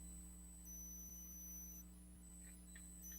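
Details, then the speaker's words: Livestream microphone picking up faint steady high-pitched squeal shifting pitch over low hum; speaker suspects fan, hearing aids or restrictive phone mount. Microphone high-pitched whine. "the phone might be too restrictive and it might be making it squeal of course yesterday that wasn't what fixed it but you never know do y'all still hear the squealing"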